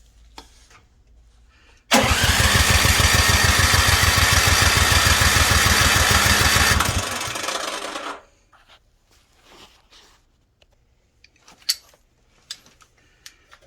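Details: Snowblower that sat all summer won't start: regular fast cranking, about three turns a second, for roughly six seconds, then dies away without the engine ever firing.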